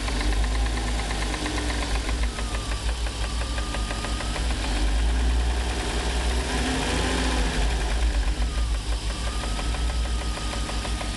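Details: 1994 BMW E36 325is petrol engine idling with a loud, sharp ticking and slight roughness that smooths out above idle; no codes, started after a long 135+ mph run; engine ticking at idle.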